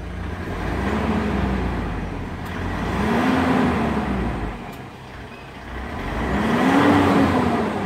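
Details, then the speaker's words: 2009 Mitsubishi Montero Sport 2.5L diesel after removing and servicing the injection pump suction control valve, with a new fuel filter: three clean revs rise and fall smoothly without stumble, miss or knock; normal throttle response. "pretty smooth"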